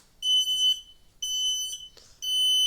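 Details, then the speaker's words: Kidde smoke detector: shrill half-second beeps repeating with short gaps and continuing, stuck sounding; push-to-hush button would not stop it. "okay i will that's right this fire alarm is going off i was in the shower having a nice quiet time until this alarm went off"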